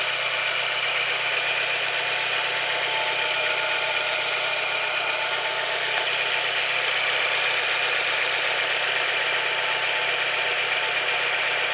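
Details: Chevrolet Celta idling with a hissy, rapid ticking-knock about four per second; owner asks whether it's the piston, could also be valvetrain; cause suspected, not confirmed.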